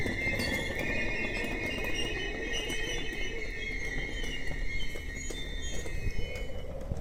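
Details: Class 245 locomotive hauling an RE6 regional train of old IC and car-carrier coaches at Lunden: loud, steady high-pitched brake squeal throughout the stop over low rumble, fading near the end.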